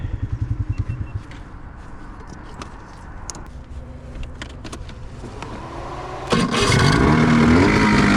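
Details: Skidoo 670 two-stroke snowmobile engine swapped into a 1989 Honda Pilot: uneven popping then ragged blips with little pull, lacking power, began while going slow on the trail; owner suspects a fouling spark plug causing rough running.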